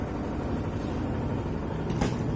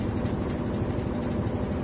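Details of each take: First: Whirlpool White Magic Pro XL 800s washing machine in spin after repair: a steady, even hum with no rattle. The earlier knocking was fixed by taping down a loose plastic part with double-sided tape. Vibration suggests a shock absorber problem remains. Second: Whirlpool White Magic Pro XL 800S washing machine on spin program: steady whir with dense buzzing rattle from a loose plastic sheet vibrating inside the cabinet; fixed by sticking it down with double-sided tape.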